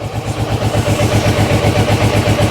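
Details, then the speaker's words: Carburetted motorcycle warming up: steady even low throb at idle, no ticking or knocking; engine mechanically quiet, though still dislikes revs and choke. "Motor's lovely and quiet."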